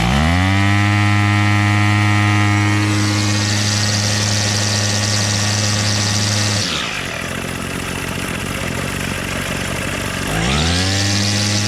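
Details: Bolens MTD BL-160 25cc two-stroke weed trimmer after carburetor cleaning and low/high mixture screw adjustment, choke off: steady high full-throttle buzz drops cleanly to idle near seven seconds, then climbs smoothly back; runs properly.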